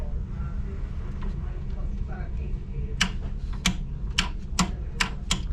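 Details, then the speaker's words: Repeated relay chattering in the panel of a York 4-pipe fan coil unit (not heating or cooling, fan not running): sharp, dry clicks one or two per second over a low hum. The tech suspects a loose connection, since it stopped after he handled the wiring; the cause is unconfirmed. "might be some sort of loose connection here it's got to be when I did all that something's Loos in here it doesn't do it anymore"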